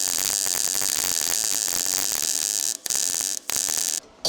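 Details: R-Tech 181 Digital MIG welder, first try on mild steel, compared against a Lincoln SpeedTech 215C: steady, even bacon-like frying crackle with a few short breaks between passes; a healthy weld with good penetration.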